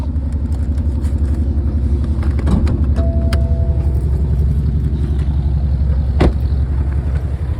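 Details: BMW 330d F30 diesel at cold start: loud, rough clatter at cold idle with a steady knock about twice per second; engine noise when cold, source unclear.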